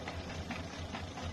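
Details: Peugeot 407 2.0 litre petrol engine idling evenly and steadily, regular firing pulses, no shake or stumble, after the shaking was traced to a faulty air sensor; injectors and several other parts had already been replaced without curing it.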